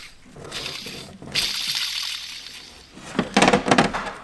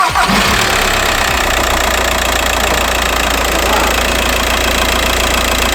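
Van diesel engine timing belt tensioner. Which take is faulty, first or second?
first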